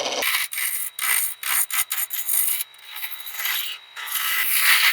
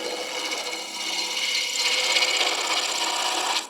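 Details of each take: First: Shopsmith Mark 7 lathe rounding an ash blank for a bud vase: gouge scrapes in hissy, uneven bursts, bouncing and rattling on remaining flats of the not-yet-round blank. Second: Shopsmith MARK 7 lathe at about 1,000 RPM turning ash bud vase from firewood: cutting sound changes from clunking on the corners to a steady, even high hiss once stock is round; smooth clean cut.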